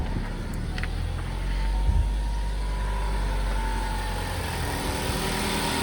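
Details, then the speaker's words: 2015 Ford Focus idling after 50A fuse (fusible link) replacement for intermittent hot no-key-detected fault: steady, even low rumble with no misses, knocks or rattles. Normal idle; fix not yet confirmed by driving. "everything sounds right, but of course we won't know until we drive it for a while and see if we run into that issue again."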